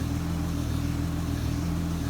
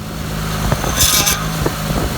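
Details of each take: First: Honda Pilot power steering after replacing the rusted-through line with nickel-copper and bleeding air: smooth, steady low hum with no groan or whine while the wheel moves; steering light again. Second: Honda Pilot at idle with low power steering fluid and heavy steering. Rough, grinding groan rises and falls as the wheel is turned; steering goes hard, then eases when the noise comes. Fluid is low and bubbling out of the reservoir.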